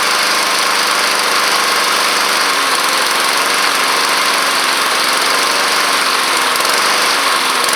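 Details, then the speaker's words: Neglected Honda Harmony II push mower (HRS216/HRR216) with a replaced air filter. Loud single-cylinder chatter hunts and oscillates, surging up and down when the throttle is set too low. "So as you can hear there, if you try to put the throttle down too low, it will start kind of trying to oscillate on you."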